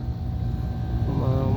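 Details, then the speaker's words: Air conditioner showing an F0/blinking fault: a suspected fitting was tightened with no leak found, then the refrigerant was charged. Outdoor unit: a steady low hum, then the compressor kicks in about a second later into an even drone; running normally, still under observation. "So habang inobserbahan natin yan eh kargahan na natin yan para malaman na kung aandar. So ayun umandar na siya."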